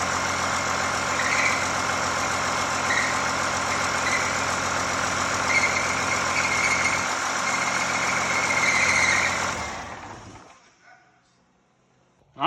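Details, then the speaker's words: 1986 Ford F350 with swapped 5.9L 12-valve Cummins diesel, first run, no coolant system, clutch can't disengage (no master cylinder push rod); idle with constant high chirping whine from transmission, later found to be throwout bearing. "so it's alive everything runs uh we do have a noise what coming out of the transmission"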